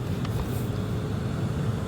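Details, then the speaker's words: Lexus LS460, about 200,000 miles, after blower motor replacement for a noise: steady low, even fan whoosh with no scraping, ticking or wobble; new blower motor running smoothly. "There we go. Okay. Oh yeah, that sounds so much better."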